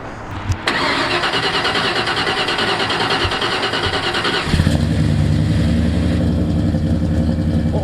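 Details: 1989 Ford F-150 V8 just fitted with new exhaust and Flowmaster Delta Flow 40 mufflers; catches after short crank into steady even deep idle with smooth exhaust note; normal idle.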